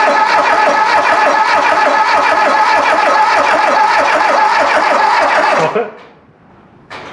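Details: Volvo 340 abandoned 25 years, cranked during crankshaft position sensor test (about 60 millivolts signal, no resistance measured): even starter cranking, about three and a half beats a second for nearly six seconds, never catches.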